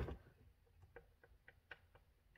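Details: Homelite chainsaw, a blown-up saw, with engine off and the crank rocked by hand: a handful of sharp, uneven dry clicks. There is up-and-down and side-to-side crankshaft bearing play, normal slop for a Homelite.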